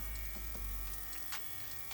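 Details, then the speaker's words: Airbrush spraying barber color enhancement mix: airflow breaks into uneven spits and pops instead of a smooth hiss because the paint mix is still too thick; more alcohol to be added. "see you can hear it kind of sputtering i guess i don't i don't want it to sound like that i want it to uh to come out evenly so it's still a little bit too thick"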